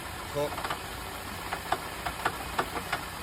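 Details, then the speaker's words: Customer's car, which another garage had declared a dead engine, idles with a horrible rattling: sharp, uneven knocks about three a second; a misfire was also reported. Cause unconfirmed. "Horrible rattling noise. Let's hear it. As you can hear it, hold on. Yeah, there's a really horrible noise."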